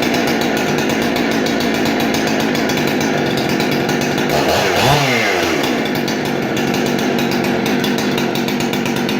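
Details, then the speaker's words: Husqvarna 371XP chainsaw, barn find, serviced with rebuilt Walbro carb and modded dual-port muffler: loud, steady high-revving two-stroke scream with one quick clean blip, no stumbling or surging; runs fantastic. "the saw turned out really well runs fantastic cuts through wood like butter"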